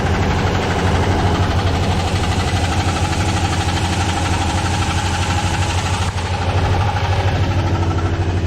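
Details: Engine warming up after spark plugs on driver side changed (plugs burnt), O2 sensor and throttle body cleaned, sensors replaced: steady idle with a repeating heavy low knock, two or three a second; knock persists, cause unknown.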